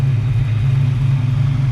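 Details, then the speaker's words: 1978 Pontiac Firebird with a small-block V8 and small cam, newly swapped in with fresh exhaust, idling and firing on all cylinders on both banks, heater hoses warming. A smooth, even burble with no misses: normal idle. "I got all firing on all cylinders on both sides."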